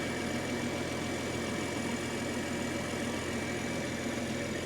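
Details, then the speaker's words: 2023 BMW M240i salvaged from a wreck, running on distilled water in place of coolant; light smoke later traced to the AC compressor, which the owner suspects is seized: steady, even idle, smooth low hum, no knocks or misses; normal idle. "It's pretty good so far."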